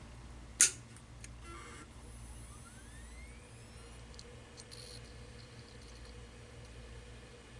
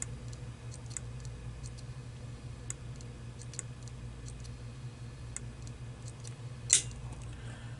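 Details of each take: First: Seagate hard drive with a dead, shorted PCB, after removing the TVS diode: a click at power-on, then a smooth rising whine as the platters spin up with no further clicking; normal calibration, drive sounds healthy. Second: Seagate hard drive with dead controller board swapped for a board from an identical drive: repeated sharp clicks every half second over faint hum; board data mismatches platter data so heads fail to calibrate and click back and forth.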